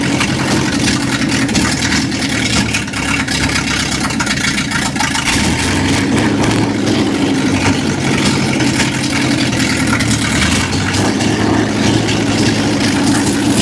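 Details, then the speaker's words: 1955 Chevrolet truck V8, just started after cranking attempts: loud, uneven lumpy stumbling rhythm at steady speed; runs on about six cylinders, a few cylinders suspected dropping out, cause unconfirmed. "right, it runs. runs on about six cylinders."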